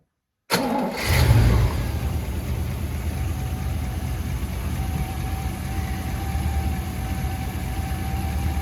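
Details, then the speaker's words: Holden HT 308 V8 after repairing a cracked exhaust manifold causing exhaust leak and changing cracked spark plugs: cranks, catches, flares, then steady even idle with no ticking or puffing; it's better. "see it's better"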